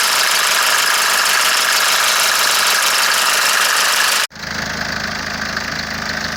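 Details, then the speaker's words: Mercedes 601 diesel, cold, after a Lavr engine flush and oil change: fast, sharp ticking over the diesel clatter at idle, suspected hydraulic lifters; the tick first appeared after low oil level and stopped when warm. "То есть на холодную двигатель звучит так. Звук, по-моему, прекратился, но все равно какой-то стук есть, не могу понять, то ли гидрики, то ли что."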